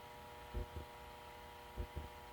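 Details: GE 78X233 fan motor after cleaning, regreasing, oiling, new head wires and line cord and a grounded 3-prong plug: quiet, steady electrical hum with a couple of soft bumps, smooth and even, drawing about 1 A at 118 V on high.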